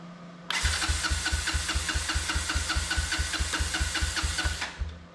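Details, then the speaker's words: Honda ATC 125M three-wheeler on electric start, in neutral with choke and fuel on: the starter churns evenly and quickly for about four seconds but there's no ignition pop and it never catches. "If you listen, you can hear the starter. But what you don't hear is the pop sound of ignition. You don't hear that pop, pop, pop, pop, trying to start."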